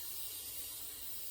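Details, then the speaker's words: Pressure canner after about 40 minutes cooling, gauge weight lifted releasing a faint, thin steady hiss; still a little residual pressure, so it is left longer before opening the lid. "Still a tiny bit of pressure in there. But that's fine."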